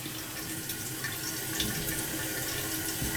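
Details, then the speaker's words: American Standard toilet that keeps running and overflowing: a continuous hissing trickle never stops filling. The fill valve is bypassing its seal; it probably needs a new fill valve, or a new gasket could go in. "oh yeah she's bypassing all right we could put a new gasket in there"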